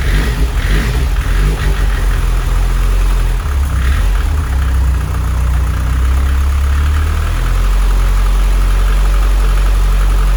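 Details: 600 bhp Mitsubishi Evo X turbo build, first start after fitting timing chain, fuel pump hardwired to 12 V: deep uneven idle with wandering irregular lope; rough lumpy idle, owner suspects too rich.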